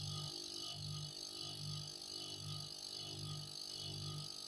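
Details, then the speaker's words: Refrigerator compressor that hums loudly and won't keep running, drawing over 2 A with pipes disconnected: low hum swelling and fading in an uneven, tired beat, shutting off when hot; weak, labouring compressor. "Oke, seperti orang sudah lelah ya. Harusnya ini tidak seperti itu."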